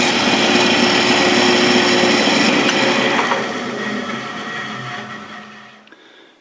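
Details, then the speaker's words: South Bend toolpost grinder running at high speed with whine and rough gritty rasp, vibration and chattery grind finish, then spin-down; spindle bearings worn out, to be replaced. "you could hear the spindles making noise so I think the the bearings are shot so bearings are shot"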